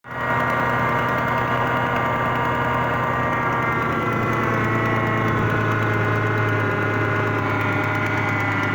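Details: 2001 Ford Mustang 3.8L V6 with an even idle and a faint rapid knock that goes away once the engine warms, cause unknown. The power steering also makes noise despite having fluid.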